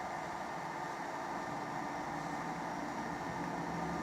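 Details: A Suoer LDA-1000C inverter, powered via a charger on a battery at about 12.5 V, runs its exhaust fan with a steady, even airy whoosh and no ticking, rubbing or wobble; normal cooling fan operation.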